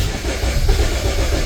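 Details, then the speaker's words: LPG car towed in with sudden no-start, shop claimed failed fuel pump; starter cranks steadily at about 200 rpm with low churning rumble but never fires, no fault codes, crank sensor fine. "자, 200rpm까지 올라가죠? 그런데 시동은 안 걸리네요."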